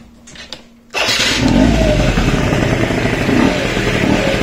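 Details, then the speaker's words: Yamaha Jog RR two-stroke scooter after repair, water pump properly secured: starts at once with quiet clicks and settles into a steady, even idle; the noise it used to make on starting is gone and nothing odd is heard. "arrancarla vale resultado como veis ya no se escucha el ruido que tenían está todo bien la bomba de agua está bien pillada el sonido que tenía de encendido ya no lo tiene"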